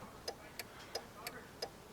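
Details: 2000 Jeep Cherokee XJ after replacing the faulty turn signal switch, engine running: crisp, even flasher ticks about three per second, steady and regular over a quiet background; turn signal flasher working normally.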